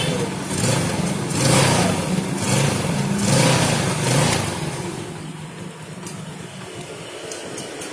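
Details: Yamaha Jupiter Z with 40,000+ km after repair: clutch housing rubber found at fault and clutch plates replaced; small single revs up and down a few times, then eases back to a calm idle, clean and smooth with no rattle or scraping.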